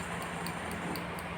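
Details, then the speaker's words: Motorcycle fuel injector on a manual injection scanner/tester, wired positive to positive and negative to negative: crisp, evenly spaced ticks about four a second with nothing behind them. It fires cleanly under test pulses; the tool can also clean injectors. "Ini untuk pengecekan injektor ya, atau bisa juga dengan membersihkannya dengan alat ini."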